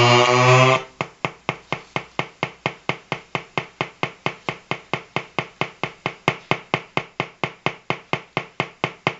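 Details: Colour-changing LED bulb on 4.5–6 V DC batteries: crisp evenly spaced ticking buzz about twice a second, steady throughout; interference noise from the bulb's driver electronics.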